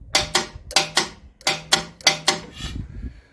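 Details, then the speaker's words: Self-start/generator engine: sharp paired relay clicks about every half second, then quiet; throttle-lift solenoid won't stay energised, relay drops out and engine shuts down unless held in. Cause unknown, wiring appears original. "What we've come to the conclusion is, this little solenoid here, when we push it, there's an insulate screwdriver, when we push that in, that lifts the throttle and starts it. But that won't keep energised. For some reason, you can hear it click, listen."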